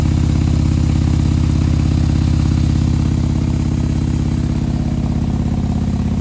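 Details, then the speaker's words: 2020 Harley-Davidson Road Glide with 130-inch T-Man Performance engine, fresh build idling cold to warm up so the pistons expand before revving: deep, steady V-twin lope about three beats a second, very even; normal warm-up idle. "so with these things when you fire these up you gotta let them warm up you can't just go rev him up and beat on him right pistons have to expand"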